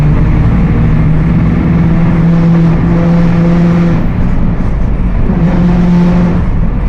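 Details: Mercedes-Benz OF 1721 BlueTec 5 diesel bus (Apache Vip IV) driving: steady low whine over the diesel, holding pitch with road speed, rear axle differential whining under load.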